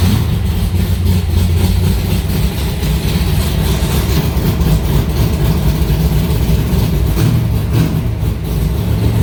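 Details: Aluminium-bodied Cobra V8 idling in a garage after first start in two months, fired right up: deep, steady burble with an even beat and no knocks or misses; healthy idle.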